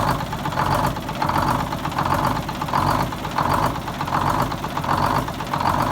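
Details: 74-year-old Greyhound bus diesel started from a new start-stop box after rewiring, to check a leak: a slow, even idle pulse a bit over once a second with no knocks or stumbles. It runs steadily.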